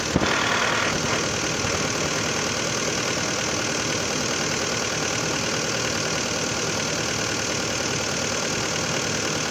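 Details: 2011 Hyundai Santa Fe 2.4 (4GKE) engine, warm idle: uneven knock about three times a second under the engine rumble; engine knock when hot, no clear cause.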